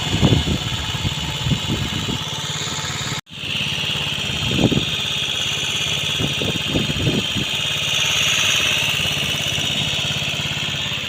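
Uneven putter at first, then a steady idle with a thin high whine and a few blips of revs: it runs fine again.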